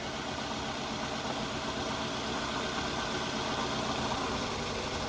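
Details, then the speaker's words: 2002 Toyota Camry with weird engine noise/rattle, idling with one ignition coil unplugged as a test; uneven lumpy idle with rough shake as that cylinder drops out, note changes so that coil is not the fault. "so see how the engine noise has changed if the engine noise changes that means that is not the source of the problem"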